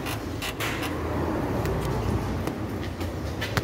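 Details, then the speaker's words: 2021 Renault Logan 3-cylinder, right-side suspension noise over bumps after hitting a crater: irregular creaks and sharp clunks from underneath on rough ground, traced to a loose subframe bolt that moves up and down; fixed without replacing parts. "Olha como tá frouxo, tá vendo? Como tá folgado, ó. Então você puxa pra baixo, pra cima, ó."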